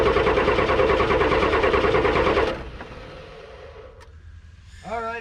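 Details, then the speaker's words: Old Ford F-Super Duty with a naturally aspirated 7.3 IDI diesel. It ran briefly on ether, then died, and now it is an even starter crank at about three turns a second that never fires. The owner suspects a fuel problem: very low diesel, a plugged line or lost prime. "there it goes again so there's something wrong with the fuel system we're either incredibly low on diesel or something is plugged etc etc"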